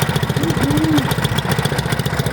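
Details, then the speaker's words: 212cc CT100U engine after installing billet rod and flat-top piston: small single thumping at a steady idle, even pulses without knocks or rattles, running smoother than before. "already sounds great. Sounds really good. Sounds like it's running smooth. Sounds like it's running a lot smoother than it used to."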